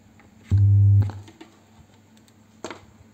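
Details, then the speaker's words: Old HVN active subwoofer home-theatre speaker with 5 satellite outputs emitting a loud, steady low hum; suspected failed power amplifier, a TDA2050 IC in a three-amp-IC board with about 2 A transformer. "dengung ini sepertinya kerusakan power amply"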